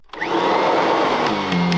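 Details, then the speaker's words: Kirby G6 Techdrive self-propelled drive demonstrated before the G7 comparison; steady motor hum with even drive whir rolling back and forth, no grinding; runs slightly quicker and more aggressive than the G7, normal healthy drive. "also you can see from that quick demonstration that the G6 it just runs a little bit quicker compared to the G7"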